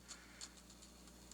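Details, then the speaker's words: Lemax Skeleton Jamboree tabletop accent that would not spin: light, uneven clicking and clunking over a faint motor hum as the pulley-driven shaft spins inside a split drive gear; the belt is okay, and the broken gear needs replacing. "I can see the silver shaft spinning inside the gear since the gear is split open I said being a circle crimped onto the shaft has now got a gap and the shaft is spinning inside"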